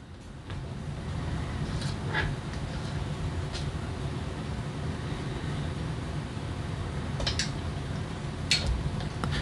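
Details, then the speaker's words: KJ103 smart autoranging multimeter, probe removed while measuring about 5.04 V DC: several sharp irregular clicks over a low room hum as it takes a couple of seconds to re-range; the internal relay is noisy. "now i don't know if you heard that but there is a relay in this meter wow it's pretty noisy too clicky click do you hear that"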